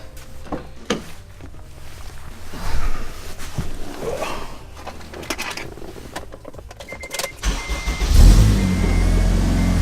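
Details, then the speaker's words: 2002-2006 Acura RSX Type-S with Invidia Q300 cat-back exhaust, engine starting after the exhaust rattle fix and settling into a smooth, deep idle with no rattle. "yeah sounds a lot better I already don't hear that rattle"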